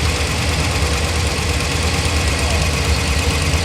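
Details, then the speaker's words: Hemi V8 idling just after start: deep idle with a fast light ticking that follows engine speed, loudest when cold; exhaust manifold leak from a broken exhaust stud. "all right guys that wasn't a good sound uh it mainly happened when it's cold so I'm gonna let the engine cool off a little bit and then let y'all hear when I went out and first started"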